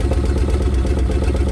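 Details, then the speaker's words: Farmall tractor engine with new wires just installed: uneven, lumpy idle with irregular stumbles under a deep drone; ignition timing out, fix is loosening and turning the distributor until it sounds right. "what you're hearing right there that's a timing issue it's out of time I'll just loosen the distributor up and turn it until it sounds a lot more right"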